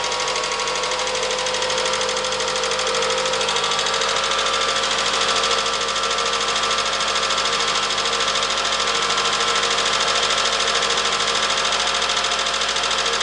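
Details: Toyota Camry with 2AZ-FE engine, US-market, about 137,000 miles on the odometer, cold start: idle with fast, fairly even light ticking around three per second over a steady hum; valve tick at idle.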